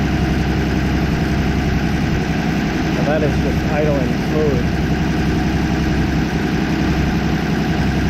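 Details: 1964 Plymouth Belvedere slant six, three-on-the-tree, sat about 20 years, running on bad gas: even, low idle beat with no misses or stumbles, holding steady speed; normal idle.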